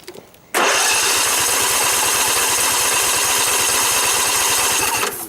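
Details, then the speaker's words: 2012 Husqvarna riding mower, flood survivor with mud on the carburetor: engine catches on its gas prime and runs with quick even beats for a few seconds, then fades and dies. Owner suspects water in the carburetor float bowl and plans to drain it. "okay possible that there is water in the float bowl on the carburetor that's very possible in which case it means we're going to have to take the hood right off and drain the carburetor"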